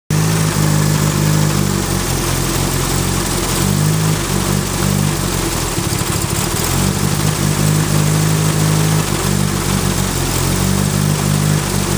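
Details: Turbo Ford Focus with a bad idle even after a new coil pack, and it seems to miss under boost. Owner suspects the plug wires or the cylinder 2 fuel injector. The idle sags and recovers every couple of seconds; rough idle.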